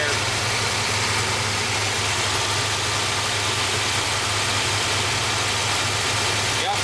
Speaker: okay can you hear me over a check here you can see that sucking it right through he's got